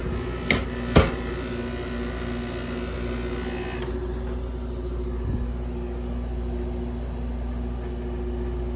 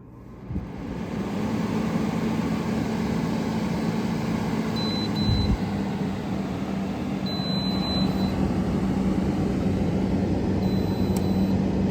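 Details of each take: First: Grandmother's air conditioner with a Matsushita rotary compressor at its first seasonal startup after cleaning, heard from outside. Two sharp clunks and a rattle at start, typical of this Matsushita, then a steady low hum. Compressor startup rattle. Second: Window air conditioner, first start of the season after annual cleaning: the compressor kicks on and settles into a steady, even low hum under the fan rush, and pressures settle; normal startup.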